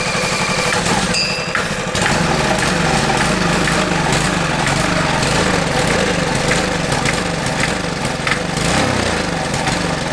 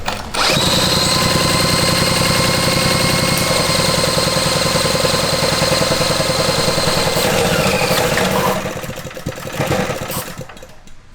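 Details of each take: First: $50 Marketplace minibike single-cylinder engine, stored five years, first start after fitting a spark plug: continuous raspy, chuffing exhaust sounding like it's blowing out, no knocking underneath; loud blowing exhaust note, engine judged good. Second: Rebuilt $50 mini bike with a single-cylinder engine, 236cc rotating assembly kit, 28mm flat slide carb and a new racing spark plug, on first start. It runs at a steady, even buzz with no knocking over the exhaust, then shuts off. Healthy engine.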